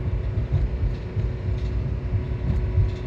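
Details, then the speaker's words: 2007 Honda Civic driving with a low, uneven rumble that pulses and stumbles, unable to exceed 3,500 rpm or 21 mph; misfire traced to a failing ignition coil. "As you can see, the RPM wasn't able to go over 3.5 and I could not go over 21 miles per hour. If you can hear the sound of the engine, you can hear it revving up and down. This vehicle can hardly go."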